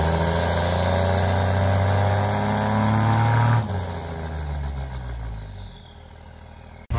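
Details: Cummins diesel (1500hp project truck) with five-inch exhaust all the way back, at the exhaust before its first drive; deep rumble rising on a blip then steady even idle, no leaks or rattles: healthy exhaust note.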